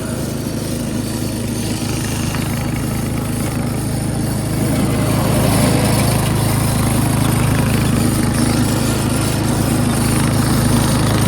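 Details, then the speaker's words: Free Craftsman 13.5HP 30-inch rear-engine riding mower, single-cylinder, mowing under blade load: steady even beat holding firm with no misses or knocks; starts, drives and mows normally. "Albeit this thing does run, start, drive, and it does mow."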